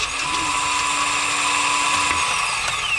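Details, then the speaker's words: 2012 Jeep Wrangler JKU Pentastar no-start when cranking; high steady electric whir with no engine turnover, starter spinning without engaging flywheel; owner suspects bad starter, replaced. "then you'd all only hear the starter turning i'm pretty sure it's just a bad starter"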